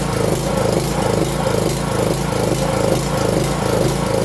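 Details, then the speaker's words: 5.5 hp petrol water pump engine after carburettor cleaning (previously would not start): lumpy, hunting beat about two to three pulses a second, rough unsteady idle, stalls when throttled down; another fault still to fix. "ท่านคงจะเห็นแล้วนะครับว่าตอนที่เราสตาร์ทเครื่องเครื่องมันเดินไม่เรียบเลยนะครับเครื่องจะเดินไม่เรียบ"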